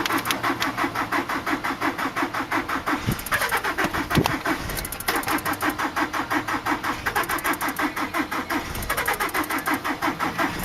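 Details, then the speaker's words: 2003 Nissan Altima 2.5, blown engine, sat eight months, jump-started from a V8 truck: even cranking about three beats a second never fires; not enough compression, flywheel reportedly bad too. ">> UNFORTUNATELY, THIS ONE JUST WON'T FIRE. IT DOESN'T HAVE enough compression to engage."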